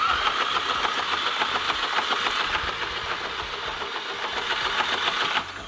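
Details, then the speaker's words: VW MK5 GTI with EA888.1 TSI engine, suspected bent intake valves and timing chain problems; starter spins quick and light with no compression pulses and no catch, fast cranking with no start (low compression), bent valves almost certain. "All right, so that really fast cranking speed, where it doesn't even really sound like it wants to start, is the sound an engine makes when it has no compression."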